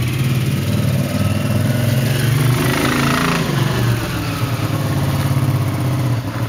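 Loud, lumpy low engine drone with an uneven pulse as it idles and revs briefly; the uneven beat points to rough running.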